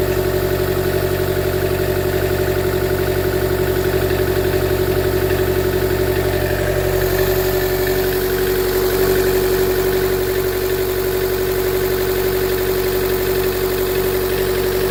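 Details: 2013 Chevy Volt petrol engine idling unevenly with a lumpy, stumbling beat around three per second; misfire with P0101, poor mileage, power loss above 70 mph and shutdowns; MAF, plugs and coil pack replaced without fixing it.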